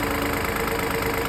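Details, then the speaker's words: Fiat Pulse three-cylinder engine at idle: steady idle with a light, fast, even tick on top that sounds like knocking, no deep knock; dealer said at two services this is normal. Normal idle ticking. "estão ouvindo esse barulho mais estranho que pareça isso é normal eu não sei se é porque é um motor três cilindros e normalmente o motor três cilindros ele tem uma vibração mas parece que o motor tá batendo né"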